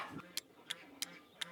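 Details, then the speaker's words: 1973 Plymouth Valiant: a replacement starter solenoid relay is energized with a Power Probe and gives four sharp, crisp clicks. The original was suspected bad after no crank, but it clicked too. "Now, in theory, we should be able to test this with the old power probe here. Should be able to hear it clicking."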